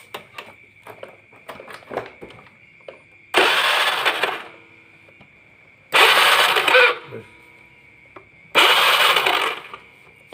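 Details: Honda Beat carbureted scooter, cranked on electric starter during stator wire repair: three roughly one-second starter bursts whir and stop without catching. No spark from broken stator wires; spark returns once the wires are spliced.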